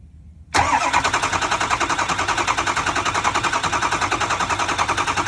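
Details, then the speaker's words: 2004 Ford F-350 6.0L diesel, on a 30-second crank after injector replacement and vacuuming the cylinders out: smooth, even cranking with no lopsided whoop, suggesting the engine has nothing mechanically wrong. "and you hear how it's cranking that's a nice smooth crank it's not a whoop or anything like that that tells you that this engine mechanically doesn't appear to have anything wrong with it"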